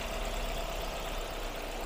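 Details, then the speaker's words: Ford Focus that shook and lacked power uphill, recorded at idle: low, lumpy, uneven beat. The scan tool flags the cylinder 3 ignition coil, cylinders 1–3 misfire, and water was found around the coils. Misfire from failed ignition coils; three coils need replacing. "Basically, it's now an ignition coil. There's a computer reading it's an E3 cylinder ignition coil. But now, there are problems with one cylinder and two cylinders and three cylinders."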